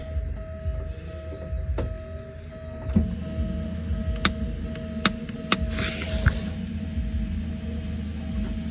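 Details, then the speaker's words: Porsche 944 starter removed and bench-tested: four or five sharp single solenoid clicks with no motor spin, pinion not extending fully; owner suspects a poor ground, cause unconfirmed. "so what's going on that pen is not going all the way out only thing I'm doing is hearing it click"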